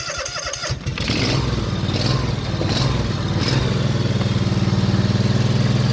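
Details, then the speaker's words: John Deere Z445 zero-turn mower, 25 hp Kawasaki engine, with jump pack on the battery after wiring repair for a no-charge fault: brief cranking, then it catches and settles into a steady even idle; normal start. "We're gonna start up and watch, see if it charges now."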